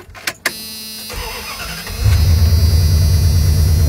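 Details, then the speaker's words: 1997 Dodge Ram 1500 5.2 Magnum V8 with prior rod knock, after oil change with Lucas and 80W-90: brief crank, catches, settles into steady even idle with oil pressure and no knocking. Normal start and idle. "it's not even knocking oil pressure okay"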